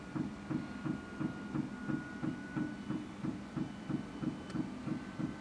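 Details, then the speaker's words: Airstream Rangeline van Timberline heater fuel pump (unleaded) after noise-reduction enclosure mod: steady even ticking about three times a second, substantially quieter than before but still very noticeable; normal fuel pump operation. "well got in the van fired up the heater and you can definitely still hear the ticking but it does seem to be substantially quieter than it was there's the sound of the fuel pump running"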